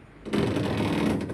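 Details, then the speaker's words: Panasonic top-loader washing machine makes a loud, rough, rapid rattling grind only during wash agitation, and is quiet in spin mode. "it's making noisy. But see, but if I put the spin mode that time is no noisy. So it means when is washing time it's making noisy, but spin time is okay."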